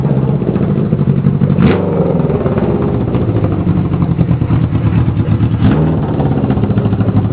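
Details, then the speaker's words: Kawasaki KZ650 four converted to an ATV, first fire-up on a temporary exhaust with no air filters: steady even low rumble with a couple of crisp throttle blips, picks up cleanly; normal healthy running and revving. "That sounds wicked. Give her a little gas."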